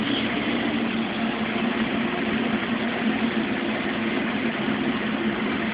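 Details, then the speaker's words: Mueller Special Brazilian washer, cold-fill-only machine that heats water itself, duvet load on 60°C wash with extra rinse: soft steady hiss of water rushing in to a very high level, no knocking or valve chatter; normal cold fill. "Still filling. The water level is really high in this machine. Now it's complete."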